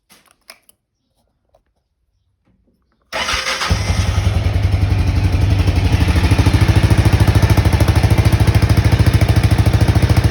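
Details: Honda XBR500 single after fitting universal Viper silencers (rated about 6 of 10 loudness): quiet start, then an even deep thump about 160 a minute, moderately loud; healthy aftermarket silencer exhaust note.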